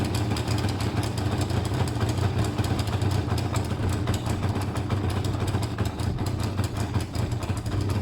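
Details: Motorcycle at idle with two same-size air holes drilled in each carb intake to balance mixture: uneven, lumpy beat with irregular pulses instead of a smooth rhythm; rough running, owner thinks it's close.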